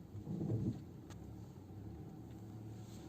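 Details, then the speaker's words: Geely Atlas cabin on a rough road after wrapping about three turns of electrical tape on the rear seatback latches: low even road rumble, the months-long knocking from the rear seatbacks gone. "Ну, как вы слышите, эти стуки пропали. То есть, действительно, проблема была именно в этом."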